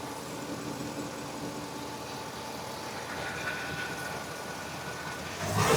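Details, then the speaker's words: 2017 Ford E-450 with 6.2 V8, after repair of P0301/P0306 cylinder 1 and 6 misfires: quiet, even idle swelling smoothly as throttle opens, no stumble or popping; normal revving. "pasa no es nada lo que lo que subió para positivo pero eso es normal porque estoy acelerando cierto"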